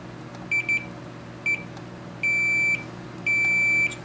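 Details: Multimeter continuity test on the fuse, filter and choke of a new-old-stock, dead-out-of-the-box Makvision 3129 29-inch arcade monitor: clean high-pitched beeps, two short, one short, then two long tones; continuity good.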